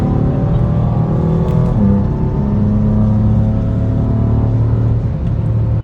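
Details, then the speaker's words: BMW F82 M4 with an upgraded diff plate and solid diff bushings: steady low hum with a faint whine while driving at low RPM or coasting; rear differential whine carried through the stiff mounts. "So, one of the sounds that it makes is the car will hum it has like a humming/ winding noise while you're driving."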